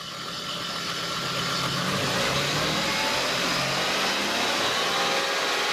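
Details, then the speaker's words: Toyota/Lexus engine idling and revving fully loaded with the A/C on, charging steady at 14 volts: a steady hum with a rough hiss laid over it from the A/C side. Noisy A/C compressor. "now you might be wondering what that noise is with the air conditioning on we're we're hearing a noisy ac compressor on this vehicle"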